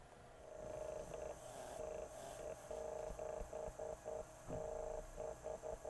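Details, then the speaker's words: Audio Technica AT-PL2D USB turntable motor at about 12.19 V, platter off, playing too fast: steady tone near 500 Hz cutting in and out with a faint scraping rub, much better after oiling the bronze bushing; dry motor bushing. "well let's start off by giving this thing a drop of oil oh much better run it up and down to make sure the oil gets down into the bronze bushing that sounds much better"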